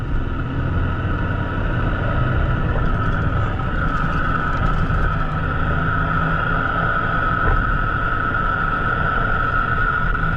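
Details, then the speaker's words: Driving, noise starting around 30–45 mph: steady mid-pitched hum and buzz over road rumble, traced with transmitters to a worn front wheel bearing. "I can already start to hear the buzzing okay"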